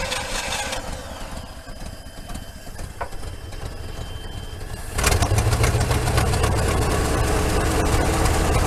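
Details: Long-abandoned Chevy C50 work truck (circa 1967–72, possibly 1970), fuel pump fed from a temporary supply to push out the old gas: about five seconds of even cranking at roughly four starter pulses a second, then it catches into a louder, slightly uneven idle.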